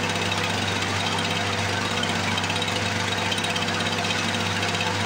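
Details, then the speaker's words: 1978 Lawn-Boy commercial two-stroke mower, long stored, first start after priming: a loud, steady buzz with an even, rapid firing beat and no misses; running strong. "here we go there's nothing boy if that don't sound beastly"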